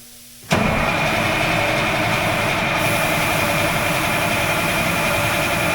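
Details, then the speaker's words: Oshkosh M1070 HET 8x8 diesel during service: steady starter cranking at about four beats a second for several seconds, but the engine never catches, even with ether sprayed in. "I was shooting a little bit of ether in it. I don't know what's going on with this thing."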